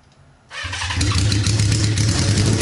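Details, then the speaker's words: Honda CB550 with no muffler, run on starter fluid rather than its dirty tank: starter whir, then it catches and runs loud and raw, firing steadily; runs fine. "I think that's probably good for all my neighbors get a little bit too aggravated cuz like I said it doesn't have a uh a muffler on it so it's obviously Extremely Loud so good to go"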